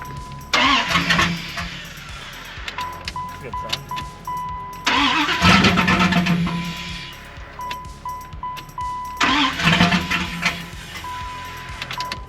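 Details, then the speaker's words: 1995 Dodge Ram 1500 5.2 after a new battery and fuel lines, cranking: three bursts that catch briefly and fade each time; fuel rail pressure reads zero. Cause later found to be broken, corroded ground wires near the fuel pump. "okay might have another problem [Music] [Applause] so i was thinking i might as well test the fuel pressure at the rail again since i still have the gauge and it did read zero"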